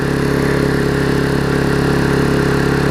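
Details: Vulcan 18" mower two-stroke, revived after freeing the rusted flywheel from the magneto and fitting a new intake pipe, gives a strong, even buzz at full throttle, steady pitch with no surging or stumbling; running properly, a fairly quiet mower.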